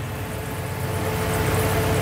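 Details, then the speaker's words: LS V8 swapped into a Mercedes 300D, restarted after the drive belt was refitted: the engine settles into a smooth, steady low idle with no belt squeal or chirp, sounding healthy. "No noise whatsoever. We are good. Woo!"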